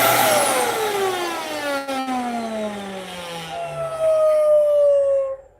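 As the motor spins down, a clear steady whistle rises out at the end: air leaking past the filter where the gasket is missing.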